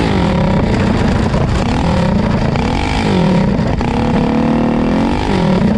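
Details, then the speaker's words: GTS minibike with a Predator 224 engine climbing a hill on a cheap generic 16-tooth clutch, already oiled: the engine drones hard under load, revs wander and flare without matching pull. The centrifugal clutch is slipping and throwing sparks. "yeah now you can hear it slip when you get on it"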